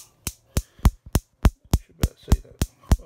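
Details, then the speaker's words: Neff gas hob igniter clicking continuously, about three and a half sparks a second with no burner flame; caused by moisture or built-up crud around the igniter, fixed by cleaning the igniters. "the spark just keeps happening and happening back outside it's a bit cooler so there's two reasons why that happens first reason is that there's either moisture around or in the nighter area around that area where the uh the spark comes out it's either moisture or it's full up with crud"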